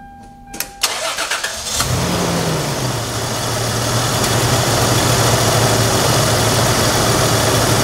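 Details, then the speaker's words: 1997 Toyota Tacoma 3.4 L V6 after fixing a P0304 misfire caused by a misrouted cable: brief crank, quick catch with a small flare, then a steady, even idle with no stumble; runs smoothly. "this engine idles perfectly pulls like a kitten and runs like a swis watch"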